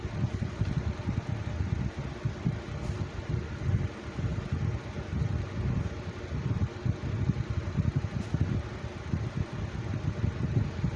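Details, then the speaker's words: Lasko Cool Colors 20-inch box fan from 2019 on low speed: soft, even air rumble, no knock or rattle, hardly any vibration; runs smoothly despite known balance issues. "so it would appear that the fan is uh is running very smoothly and uh there's hardly any vibration at all on the low speed very little but not enough tour uh towards the problem"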